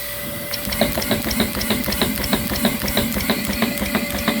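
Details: Dyson DC11 vacuum during an airflow and suction test, with the turbine brush head spinning back up. Fast, fairly regular clicking at about three a second sits over the turbine's whirr: an unexplained, newly noticed ratcheting noise inside the brush head.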